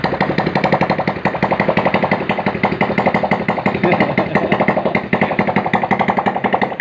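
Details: Honda Supra Fit New motorcycle after cylinder head and cam chain tensioner reassembly: a small engine idles with a steady, even putter and no ticking or rattling from the top end; normal idle.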